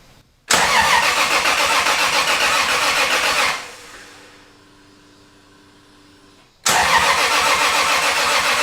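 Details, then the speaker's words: Newly built 1000hp 2JZ engine, first startup, with the cam or knock sensor unplugged to let the fluids move: steady starter cranking at about four beats a second, two bursts with a pause, a deliberate no-fire crank. "So the plan here is I'm gonna unplug the knock sensor or the camshaft sensor, let the fluids move, and then try to start it."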